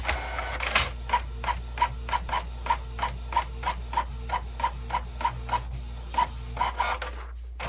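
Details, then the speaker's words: Canon Pixma printer/scanner that had quit feeding paper, working again after being taken apart, on a retry print. Regular swishing print-head passes about every second and a half, even rhythm: normal printing, fairly fast. "All right. Look at that. That's beautiful. Fairly fast little printer, too."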